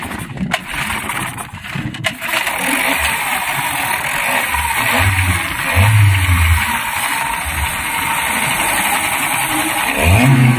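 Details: Yamaha 15 hp outboard that was hard to start due to a leaking cylinder head gasket, after head cleaning and gasket replacement, fuel primed: catches after a couple of pulls, revs briefly, then settles into a steady idle; normal start.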